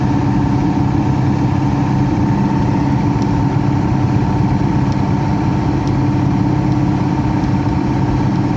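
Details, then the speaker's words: Heat pump with electric heat, blower running: constant loud drone with a steady mid-pitched hum, no speed change; something wrong with the blower/fan motor, cause unclear; noisy blower motor. "what the heck is all this crap it sounds like the F fan motor is something's going on with the fan motor got electric [Music] heat huh"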